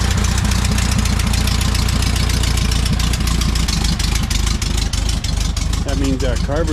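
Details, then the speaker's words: 1968 VW Bay Window bus, refreshed air-cooled flat-four just reinstalled, idling: even low chuffing, no stumbles or knocks; normal, healthy idle. "sounds like an old air-cooled Volkswagen in there"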